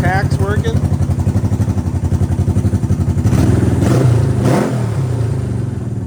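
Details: Honda CB360T twin, first start after many years off the road: an even, regular thumping idle, then clean throttle blips that rise and settle without misfires or clatter, running healthy.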